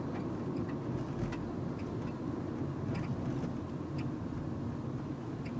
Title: Nissan note clunk noise suspension